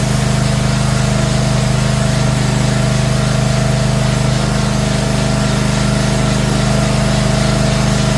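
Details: Zero-turn mower running just after an oil change, started to fill the oil filter: a steady, even engine hum with a constant pitch and no knocks or rattles. Runs smoothly.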